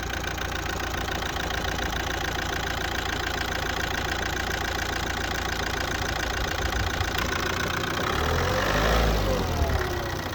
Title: Z17DTR astra rough idle, strange idle